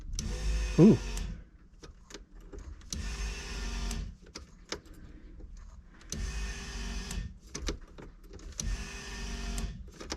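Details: 1989 VW Fox abandoned for years, key on after rebuilding the fuel system. A buzzing whir comes in bursts of about a second; the owner thinks it is the high-pressure pump, while the low-pressure pump is gurgling but barely heard.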